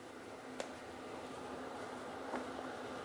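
Just a soft, steady airy rush with a faint low hum and no rattle or ticking; the exhaust fan is running smoothly.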